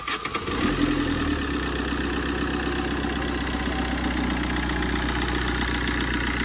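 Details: Tata Zest diesel after repair of a no-start caused by a broken camshaft, oil changed: brief cranking catches quickly, then settles into an even, steady diesel clatter with no misses or knocks; healthy start, starting pressure then checked.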